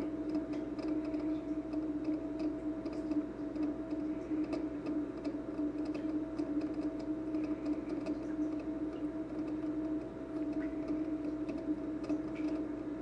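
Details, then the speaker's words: Speidel Braumeister pump, purged, running at 42°C: constant mid-pitched hum with fast, light ticks scattered through it; quieter than earlier, tick seems new, cause unclear. "so I just turned the pump on and I actually purged it and it's not as loud as it was again earlier it's running at 42 if you can hear that there's a bit of a ticking"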